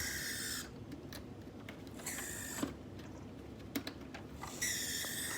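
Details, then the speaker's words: Rare Tao HO-scale model locomotive pulling cars: high thin chirps and squeaks over quiet hiss, running poorly; owner removes weight, no improvement; cause unclear. "okay so the too engine's gone a bit Tweety Bird so I'm going to try taking some weight off it and see if we can get it to do a"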